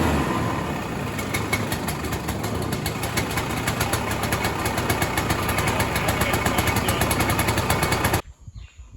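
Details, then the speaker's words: 1967 Ski-Doo Alpine twin-track snowmobile, two-stroke, sat many years, now on its own fuel, about 75°F: even, rapid burble at steady idle with no misses or surging; barely needs choke, running much better. "she's running a lot better, buddy. I barely had to choke it anymore >> on the startup, you know, and then it was just idling fine and tunable."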